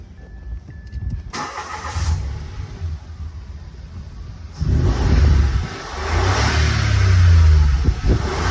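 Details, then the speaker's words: Mitsubishi Mirage G4 after fuel pump replacement, hard starting from leaking fuel pump hose/seal, now repaired: brief crank, then the engine catches at once and settles into a steady idle with a light blip; starts first try. "One click na. Yun lang po ang sira nito mga boss yung oing sa fuel pump kaya po siya mahaba ang redondo"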